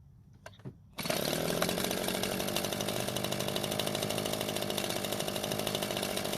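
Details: Echo leaf blower that would not start after storage, after repair of its fuel-leaking carburetor: it fires after a couple of taps, then holds a loud, steady buzz with no stumbling or surging. It runs fine, with no carburetor leak afterwards.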